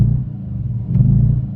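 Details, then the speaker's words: Audi S5 with check engine light on, feeling low on power, accelerating: deep, throbbing low rumble swelling through the mid revs, a weird vibration between 2,000 and 3,000 rpm; cause not found. "it's almost like a weird vibration between like two and three thousand right here"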